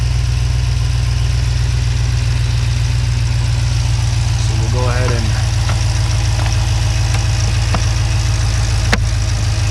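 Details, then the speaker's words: 2014 Jeep Grand Cherokee SRT after installing an E85 flex-fuel conversion kit: it starts right away now that fuel flows through the line and settles into a deep, smooth, even idle with no misses, knocks or ticks; normal running, no leaks or engine lights. "sounds like it's running normally this time it starts right away because there's now fuel going through that line"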